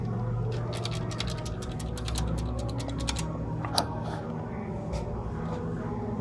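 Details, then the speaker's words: VW Touran 1.4 TSI petrol engine running: a dry, uneven ticking rattle from the timing chain side that worsens under acceleration, caused by a stretched chain with the tensioner almost fully extended. "And the car got have a problem with noisy. When you accelerate, you hear the bad noise on the chain side, you see."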